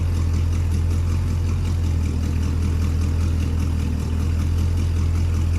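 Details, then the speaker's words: 1972 International 1110 V8 idling after revival, cooling system bled, thermostat opening, water pump working: strong steady even drone with no knocks or misses, sounds pretty good despite passenger-side manifold leak. "This thing actually sounds pretty good."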